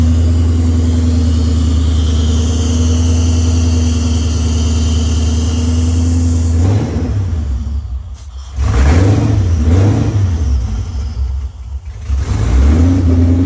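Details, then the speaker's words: Cammed, built Ford Terminator engine in a Mustang, first start, cold, open headers, wideband not yet hooked up, oil pressure high. Loud, lumpy, choppy cam idle; blips pick up cleanly and it sounds healthy. "so we got no wide bands open header that sounds good dude she sounds healthy healthy unit right there"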